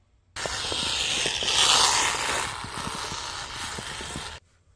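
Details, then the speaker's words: Kyosho Sand Master 2.0 RC car on the bench, before its 3300kv brushless upgrade: a harsh, rasping gear noise with scattered clicks, quieter than when driving. The gearbox was later found to have a misshapen spur gear with extra plastic flashing. "um it was making kind of a pretty loud gear noise but when I try to do anything on the bench seems to be fairly quiet and uh I'll give you an example of that noise right"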